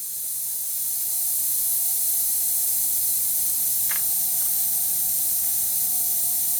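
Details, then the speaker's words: Used VW TDI PD engine with broken timing belt from a wreck, leak-down test through number 2 glow plug hole, both valves closed: constant steady airy hiss as air escapes fast; high leakage on cylinder 2, source still being checked. "And once again on number 2 we're showing high leakage."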